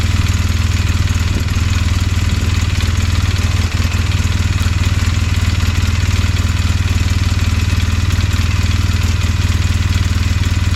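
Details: 2007 Polaris Sportsman 800 ATV, new with only 15 hours, at idle: rapid metallic tapping/clanking from the right side of the engine over the low thump; some say normal oil pump noise, others suspect a failing water pump.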